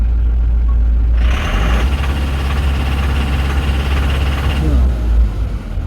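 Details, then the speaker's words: Toyota Hilux 1GD diesel during a scan-tool fuel leak test, revs rising to about 2000 rpm: harsh clatter as injectors spray continuously, so diesel does not burn properly, causing heavy knocking and black smoke. "इसी दौरान दूसरा और तीसरा भी स्प्रे करता है, जिसकी वजह से प्रॉपर जो डीजल है ना वो कंबस्ट नहीं होते हैं इंजन में, और प्रॉपर डीजल कंबस्ट ना होने की वजह से पीछे से गाड़ी जो है ना फुल स्मोक दे रही है और इंजन जो है ना वो फुल नॉकिंग कर रहा है।"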